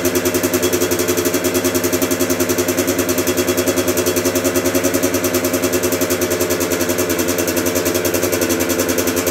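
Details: 1996 Yamaha YZ80 80cc two-stroke, first start after a full rebuild with priming kicks and choke: crisp, buzzy running at a steady fast rhythm with even pulses and no knocks or misses; the engine sounds healthy.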